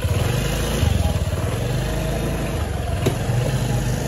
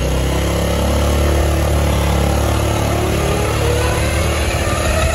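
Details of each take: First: Honda Beat automatic scooter after repair of worn final-drive ratio gears: steady, even low putter with no whine or howl from the gearbox; normal final drive running. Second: Honda Beat automatic scooter while riding: faint whine rising and falling with road speed over the engine drone; final reduction (ratio) gears in the gearbox found worn down.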